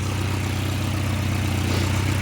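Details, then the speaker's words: 1989 Volvo 740 GL saloon left in a field for at least 3 years, started straight up, running with no coolant in it. It gives a steady, even low rumble with no knocks, misses, rises or dips. A healthy, normal idle. "and it started straight up like it's in use every day so um good news terrible for Content absolutely terrible for Content"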